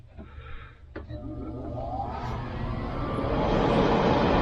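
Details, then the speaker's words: Harman XXV stove after replacing the distribution blower with an externally mounted motor on a custom weldment, test run: blower spins up smoothly into steady rising whoosh, slightly louder due to external motor, no rattle or bearing noise; normal. "Perfect. Sounded great. Alright, guys. We got it going. And it's a little bit louder. You can hear the motor because it's mounted externally, but plenty of heat going there."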